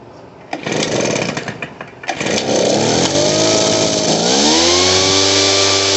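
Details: Poulan Pro PR46BT backpack blower before carburetor adjustment: two-stroke surges unevenly near idle, tries to stall, and bogs without throttling up when given gas; carburetor needs adjusting.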